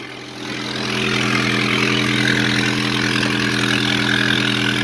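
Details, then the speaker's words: Red Honda Civic EK after exhaust repair, at idle: steady even idle with a raspy hiss and soft puffing over the engine note; an exhaust leak remains and is then located. "mais je trouve que de même, là, en ce moment, je l'entends, là. Il y a une fuite encore, là."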